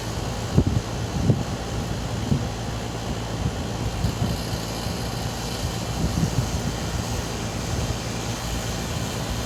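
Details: Air conditioning weird noise: steady low hum with soft, irregular thuds about every second over the running noise; cause unknown.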